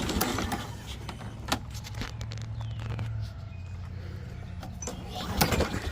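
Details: 2004 Toro Recycler 22 electric-start push mower (engine number 125K05-0186), left unused since last year; starter drones with steady low hum and scattered clatter after carb spray, engine never catches: cranks without starting, battery suspected dead.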